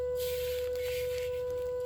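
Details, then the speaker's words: Air compressor keeps making a steady high-pitched whistle even though it was shut off and unplugged. No air leak can be felt and the source can't be located. "It's whistling. That is the weirdest thing. I can't even tell where it's coming from."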